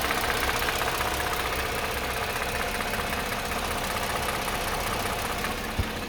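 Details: Mercedes M272 engine idling, noise between 700 and 1500 rpm: loose, irregular light tapping under the engine note with a faint squeak; cause not found.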